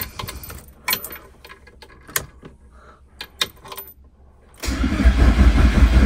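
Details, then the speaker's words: Nitrous VW Jetta on a jumper harness, after a dead battery. A few clicks, then steady cranking with no catch: cranks but won't start. A blown fuse was found and no fuel is suspected. "as you saw we were trying to whirl it over um we have these fuses in here this one's good this one I pulled out"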